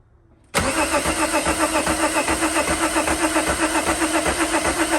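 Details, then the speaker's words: VW Mk2 Jetta with swapped VR6, cranking after a fuse fix restored rotation; starter spins the engine at a steady beat of nearly four per second but it never catches; crank no start. "we have crank we know we we have fuel you know you hope you turn the key the very next time and you're going to get fire and not having fire is just such a demotivating point in time"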